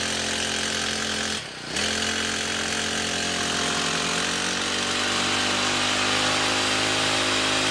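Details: Two-stroke grass cutter after fixing vibration under throttle by removing wood debris from the blade seat and reseating and tightening the blade; steady high buzz after a brief dip, settling even and smooth with no shake or wobble; running normally.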